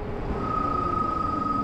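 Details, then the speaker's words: E-bike front disc brake after upgrade from 180mm to 203mm rotor, applied while riding: steady high squeal rising from ride noise, quieter than before but still present; braking power improved. "all right so it's not as annoyingly loud I still do get a little squeal"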